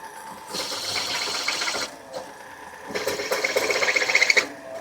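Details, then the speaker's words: Drill press at its limit boring a hole in 1956 International COE hotrod front suspension plate: harsh metal-cutting bursts sag and drop out, then return with pulsing chatter under heavy feed; belts slip and the press stalls. "I think this drill press is pretty much at its max because you'll hear it stall out. The belts slip a little, but I think that works in our favor."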